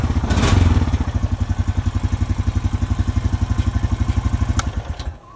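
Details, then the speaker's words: Honda Rancher 420 ATV cold start after replacing the idle air control valve (IACV) to cure a rough idle: catches quickly, then steady even single-cylinder thump near four beats a second; smooth healthy idle, fault seems fixed. "Alright guys, so here's the cold start with the idle air control valve."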